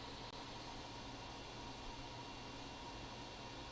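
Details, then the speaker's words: 2012 13-inch MacBook Air A1466 during option boot with the DC-in board cable unplugged: loud steady airy rush, fan at max rpm, slow boot; heat-pipe sensors sit on the DC-in board. "option boot so the fan is now spinning up on high or max rpm computer seems to be taking a little bit longer to boot"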